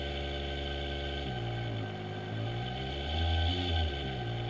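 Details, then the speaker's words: 220 V induction motor on open-loop drive, frequency slowed without reducing voltage so current draw is huge: low hum jumps between distinct pitches instead of gliding; stepped speed control and overcurrent at low frequency. "so I can slow down a frequency but now the current draw is huge because we really need to be lowering the voltage"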